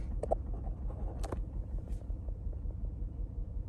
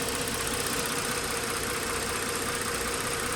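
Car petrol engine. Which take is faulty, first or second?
first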